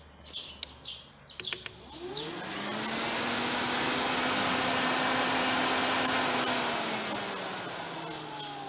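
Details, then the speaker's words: Ford Fiesta radiator fan motor powered directly with jumper wires: after a few clicks, a steady electric whir spins up and runs smoothly at an even pitch. The fan motor is fine; the fault lies elsewhere in the circuit. "kedenger ya suaranya ya tapi karena enggak enggak bisa ngevideo ke situ itu berarti motor fannya tidak ada masalah"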